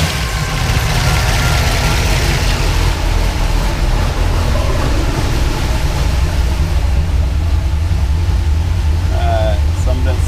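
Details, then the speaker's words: 1976 Pontiac Trans Am twin-turbo big block with solid roller cam on Microsquirt, after fixing 2000 rpm idle: about 600–660 rpm, short of the desired 700; low steady rumble, even unhurried beat, no misses or hunting; idling much better. "But yeah, that's idling so much better now, though."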